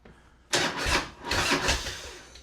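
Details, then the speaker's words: 2004 Harley-Davidson Road King; two short bursts of starter churning turn the engine over briskly without firing; starter cranking normally. ">> Well, it cranks."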